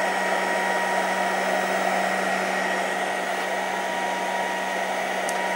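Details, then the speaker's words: A loud steady rushing whir with a constant low hum from an RC battery charger's fan, not the 12V DC 53A/1300W power supply feeding it, while charging four batteries at 7 amps each. The charger fan is simply loud. "this charger Fan's a little loud so that fan you're hearing is actually this fan it's not that one"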